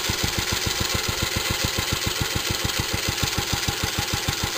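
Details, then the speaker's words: Restored J.A.P. Model 5 single-cylinder stationary engine, cold start on choke after weeks unused, fired first pull: even chuffing at six or seven beats a second, steady firing, no nasty knocks while warming up. "So I'll just let it warm up for a minute. So you can hear, no nasty knocks."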